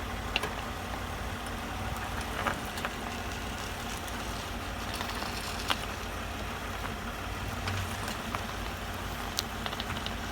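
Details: Toyota Highlander front suspension: sharp single knocks every few seconds over a quiet engine hum, irregular like road bumps; knock persists despite new original struts and strut mount bearings, struts reassembled several times, cause unknown.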